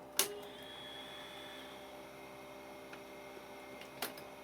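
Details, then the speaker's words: JVC HR2200 portable VHS recorder under repair, solenoid pushed in: faint sharp clicks a few seconds apart over low electrical hum; loading mechanism tries but never engages; drive transistor X22 suspected. "happens hear it's kind of clicking like it's trying to do something but I don't know"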